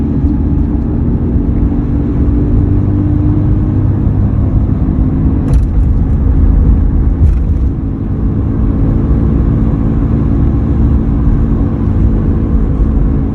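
A steady low hum sits under the road rumble while driving and holds its pitch; the source is not yet pinned down.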